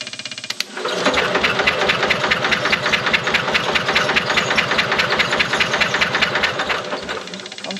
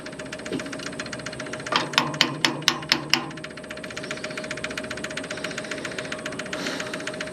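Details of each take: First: 1970s Onan RV generator that sat for years, points cleaned and coil powered: starter spins it at a steady chugging rate for several seconds but it never catches, with still no spark; a cranking no-start. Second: 1970s Onan RV backup generator, long stored; light-pressure electric fuel pump priming before start, quick even light ticks with a few louder knocks, pumping normally.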